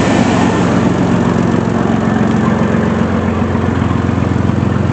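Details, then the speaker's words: Chevy Blazer ZR2 running again after sitting about a year with no fuel to the engine, following fuel pump work in the dropped tank: steady, even idle with a smooth low rumble, regular firing and no misses or knocks. "oh yeah that's right she is running again it's only about a year she's running good too oh it's so good to see you turning over again"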